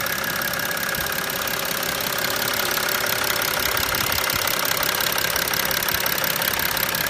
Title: BMW 335d engine noise when removing oil cap.